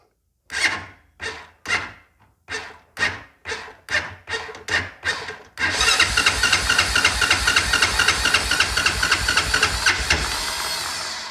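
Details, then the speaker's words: Honda Foreman ATV with a no-start, fuel turned on and choke set: a dozen slow, labored cranks, then a faster churn that never catches; owner suspects a weak battery and will add a jumper box. "well I think the battery's getting a little weak uh we'll put the jumper box on there"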